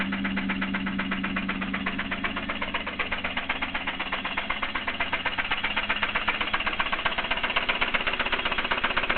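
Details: Idling petrol Mitsubishi 3000GT with a sharp, steady tick or knock about four times a second over the running sound; owner suspects lifter tick or a spun bearing, unconfirmed.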